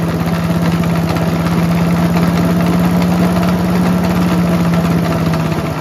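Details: Mighty Mac wood chipper/leaf shredder, just restarted after choke flap replacement: steady busy run with coarse shaking rattle, suggesting badly out-of-balance rotating assembly; violent excessive vibration, cause suspected, not confirmed.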